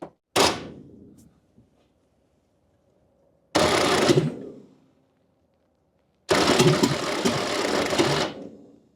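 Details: 1969 Toyota Corona parked 33 years, cranked on 24 volts to the starter: three separate cranking bursts with a few uneven catches, but the engine never picks up; crank, no start.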